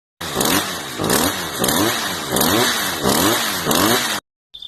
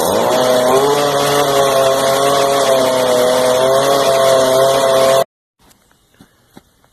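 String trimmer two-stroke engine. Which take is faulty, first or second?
second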